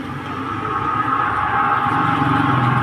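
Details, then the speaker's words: Dryer spin machine with top section opened, run directly after oiling and refitting part, previously very noisy with brake and seal judged fine: smooth, even mid-pitched hum, no squeal or scraping; noise gone, spin basket turning freely. "देखिए इसकी आवाज़ जो है वो ख़त्म हो गई है। देखिए इसकी आवाज़ बिल्कुल ख़त्म हो गई है और ये जितना चलता जाएगा और स्मूथ होता जाएगा।"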